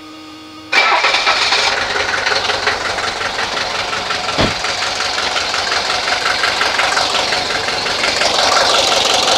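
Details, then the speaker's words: 1983 Mercedes 240D diesel after fitting new injector, injector line left loose: starter cranks steadily with hissy spitting and no start as air is purged from the line. "Okay, there's air coming out. There we go."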